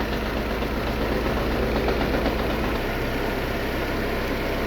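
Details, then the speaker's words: Lada Vesta 1.6 engine shaking, ECU already reprogrammed and replaced without fixing it; on motor tester, coils 1 and 2 dropping out: uneven shaky idle with irregular dips, intermittent misfire on cylinders 1 and 2. "Birinchi, ikkinchi katushka propusк berib qolyapti. Ikkita silindr bir bilan ikki."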